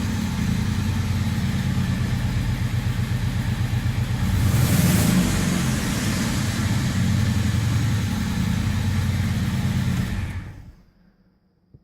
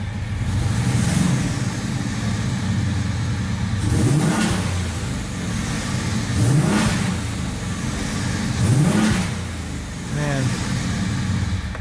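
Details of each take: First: 1978 VW Scirocco with swapped 24v 2.8 VR6: deep, loud rumble with a fast pulsing beat swelling as it revs, then cutting off; possible exhaust leak or noisy muffler, idle smoothing out. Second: 1978 VW Scirocco swapped to a 24v 2.8 VR6 with hydraulic clutch five-speed: a smooth idle broken by four quick blips, the pitch climbing and falling cleanly with no knocks or misses; eager, healthy revving.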